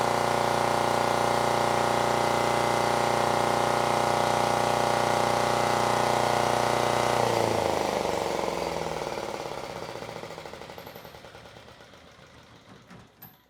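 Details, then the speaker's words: Generac XD5000e diesel generator, Yanmar L100 engine, ex-tug boat: after new 25uf capacitor, steady even diesel drone, no knocks or misses for seven seconds, then shuts off and winds down smoothly; output almost exactly 120 volts. "So the new capacitor now has the machine running at almost exactly 120"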